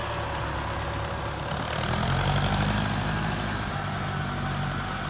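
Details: Warm Ford 4040 industrial diesel tractor after four rebuilt injectors fitted: steady, smooth clatter about four beats a second under a low rumble; no haze warm, a little black smoke under load; normal warm running.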